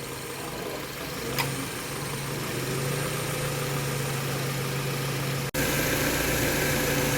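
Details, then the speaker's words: 2013 Subaru XV at 66,867 km after a new AC compressor, condenser and evaporator for a noisy compressor; steady low hum at idle with one brief dropout as the clutch cycles, no rattle, compressor sounds normal. "เสียงการทำงานขนาดคอมทำงานนะคะคอมตัดค่ะคอมแอร์ตัดต่อปกติเสียงการทำงานเป็นปกติค่ะ"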